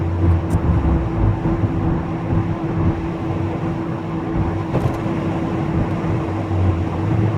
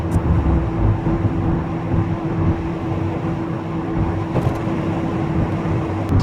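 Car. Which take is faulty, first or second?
first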